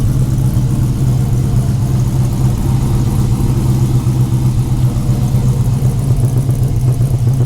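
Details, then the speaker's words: 5.7L Gen III Hemi V8 in a Dodge Challenger after installing a Texas Speed high-lift cam, Holley Sniper fabricated intake, MSD ignition and new valve covers: loud, deep, steady rumble with an even beat and no ticks or knocks; runs healthy. "Sounds good up here too, so all is well."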